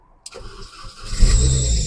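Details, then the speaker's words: 2005 Mini Cooper S (R53) bought at auction: the engine cranks and catches, then a sharp, steady belt screech rides over the idle right after start-up; owner suspects the tensioner pulley, not yet diagnosed. "yeah there's that belt squeal I haven't diagnosed that yet um it's very possible that that's that tensioner pulley screaming like that"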